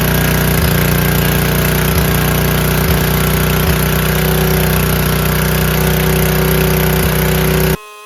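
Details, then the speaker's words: Free 5000 W PowerBack generator with a Tecumseh engine, fitted with new fuel filter, lines and an undersized 5 hp replacement carburetor, started on choke without spray: even, steady thrum at constant speed with no surging or hunting until shut off. Normal running. "Guys, that ran perfect. Even though that carburetor is a 5 horsepower and underkind, didn't surge, runs great."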